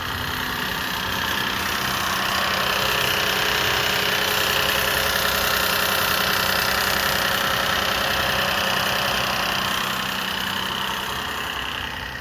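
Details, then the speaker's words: 2007 Lexus IS250 idling just after a primary timing chain tensioner replacement, with the battery reconnected. A fast, light rattle still rides over the steady hum; the owner is unsure whether it is the timing chain/tensioner or an exhaust leak. "I'll give it some time since I did disconnect the battery. I think I am still hearing the rattling."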